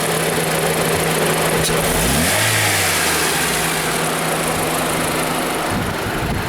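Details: Honda Fit with the L15A engine: revs blip up and drop back with an uneven, stumbling beat of about three pulses a second when the throttle is pressed. The engine runs rough, like a misfire.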